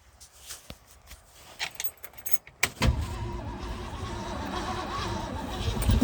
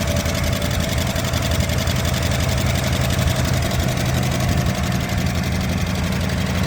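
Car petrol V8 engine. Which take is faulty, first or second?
second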